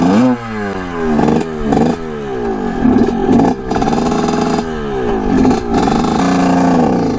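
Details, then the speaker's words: 1979 or 1980 Suzuki RM125 two-stroke dirt bike, barn find, about 155 psi compression, after tightening clamps and adjusting throttle and plug: revs climb and drop, hesitating and blubbering at small throttle openings; low-throttle bog, owner suspects jetting, not confirmed. "so he's got that like low bog early throttle"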